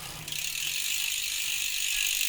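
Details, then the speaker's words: Ribble R872 road bike rear wheel, Chinese 50mm carbon rim, after replacing a broken spoke: fast, even freehub pawl clicking as the wheel spins freely, no rattle or rub; hub healthy, repair done. "it's now spinning nice and through nice around and there's no noise there other than the Hub so there you go guys the back wheel is now repaired"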